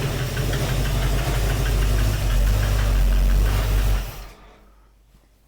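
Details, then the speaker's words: 1971 Mercury Comet GT, freshly built 347 stroker with roller rockers, mufflers just fitted, headers warm: steady light ticking about four a second over a deep rumbling idle, passenger side; owner suspects header gasket or a rocker, unconfirmed. "There's something clacking or ticking over on the passenger side. I wonder if that's a header gasket or a rocker making noise."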